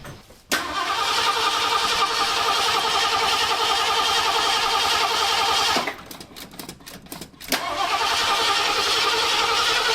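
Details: 1973 Ford Ranchero V8 just after swapping the old Motorcraft 2150 carb for a cheap Chinese knockoff, first start: fires and runs steady, then sputters and nearly dies before catching again; unstable idle, timing not yet checked.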